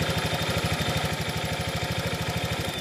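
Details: Honda Vario fuel-injected scooter that often stalls while riding: uneven, loping putter at about three beats a second that fades out as ignition drops through a faulty, leaking spark plug cap.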